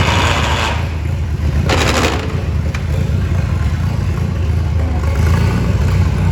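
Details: Farmall M tractor with fuel bowl refilled: deep low idle thumps with an uneven beat and occasional stumbles; still misfiring and smoking, cause not pinned down, points gap being considered.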